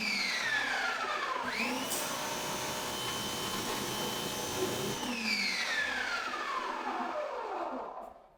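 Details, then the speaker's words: Active 2.0 pressure washer, about two years old, no leaks, heard alone with the machine in a corner: high motor whine spinning up, holding even pitch, winding down smoothly; normal running. "so I'm going to remove my mic here leave it there let sprad the water at the back so you can hear the Machine by itself"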